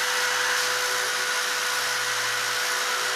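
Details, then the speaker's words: DeWALT DCF887 20V Max impact driver after tool test, over 200 degrees and reportedly fried: steady high-pitched motor whine over loud hissy free-spinning run; motor whine from overheated driver. "Oh, yeah. This is, listen to it. I hear you hear the whine."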